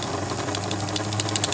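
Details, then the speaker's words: 1955 Lionel 736 Berkshire O-gauge locomotive after tear-down and re-lube, running at low throttle with smoke unit working: fast even mechanical chatter of motor and gears, steady low hum, no grinding or binding; runs healthy. "But it's a smoking. We're only running not very much throttle."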